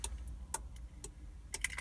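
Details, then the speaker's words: 1997 Jeep Grand Cherokee unlocked with the key with the hatch indicator reconnected: steady relay clicks about twice a second from the alarm module behind the dash, horn silent; disconnecting door/hatch indicators stops the clicking. "so i hooked up that indicator and hatch again unlock it i can hear it clicking again"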